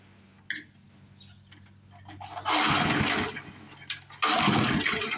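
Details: Vintage Murray push mower, pull-started: two tries, each catching in a short ragged burst that fades within a second; won't keep running, carburetor suspected.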